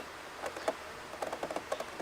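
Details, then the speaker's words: Sony DG8 MiniDV camcorder with Z-mechanism: quiet irregular clicks and taps from the transport; likely ran out of tape without detecting tape end. "What the [ __ ] that noise? Okay, apparently the tape mechanism on this DG8 had gone wonky, but I think it's more the tape has gone to [ __ ] or it reached the end but didn't reach the end."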